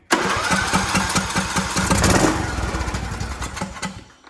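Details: Craftsman T1700 lawn tractor, Briggs and Stratton engine, crank-but-no-start fault, after reopening the fuel line, air filter off, on choke: quick crank, catches and runs with an even single-cylinder chug. Normal start.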